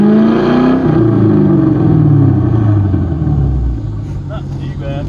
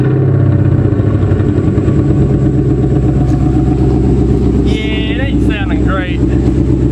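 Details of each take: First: 1995 Ford Thunderbird LX after a misfire with lost power and fuel smell, spark issue fixed: engine revs up and settles smoothly with only a slight usual hiccup, sounding healthy while warming to operating temperature. It still cuts out under harder throttle. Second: 1995 Ford Thunderbird LX that suddenly lost power on the road; lumpy, uneven idle with a stumbling beat as some cylinders drop out, misfire from water found sitting in the spark plug wells.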